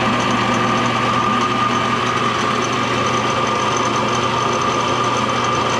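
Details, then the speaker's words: Old Craftsman table saw from a barn, running: a steady high whir with a fluttering, uneven rattle and the belt vibrating heavily; owner suspects worn bearings in the saw or the motor, not confirmed. "it sounds kind of wonky but is that how it should sound like it's rattling yeah and this belt was vibrating all over the place the bearing might be a little worn in there"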